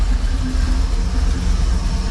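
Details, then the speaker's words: 1988 Chevy Camaro IROC with Tuned Port Injection that stalls on throttle input, idling with the timing connector plugged in: low, heavy idle pulsing and surging unevenly, rough and slow; timing jumps from 6 to 12 degrees, cause suspected not confirmed. "my timing is jumping from 6: to 12 jumping around all over the place"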